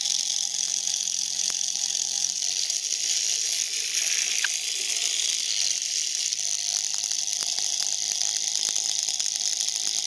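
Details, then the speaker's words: Tiny hobby kit motor rated for 1.5 V run at 32 V, nearly 2 A: piercing, raspy high whine with rapid brush chatter at steady overspeed, smelling hot and heating up; overvolted motor running hot. "Oh, I can smell it now. Jesus. Ooh, this thing's making heat."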